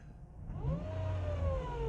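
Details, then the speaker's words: Dodge Caliber with a CVT transmission at 179,000 miles and codes P0741/P0777: a clear whine rises and falls as the engine is revved in neutral and park. "yes it's a whining noise but let me go find out what this code is"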